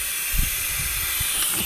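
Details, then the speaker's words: 1980 Peterbilt 359 EXHD, Caterpillar 3408, engine shut off to find the air leaks: constant sharp hiss of escaping air with low thumps, a major air leak behind the dash; clutch seems not to work; exact source not yet found. "does not feel like the clutch works there a major air leak behind the dash here"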